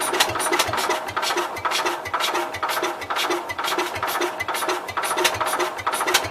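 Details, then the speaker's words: Cub Cadet 122 garden tractor, coil good but points giving intermittent weak spark, carb primed: slow, even cranking about two turns a second with odd weak coughs, not catching; owner thinks it will run, may need carb cleaner, starter getting hot. "So I think it will run. I may have to do it with carb cleaner. I kind of want to let that starter cool down a little bit."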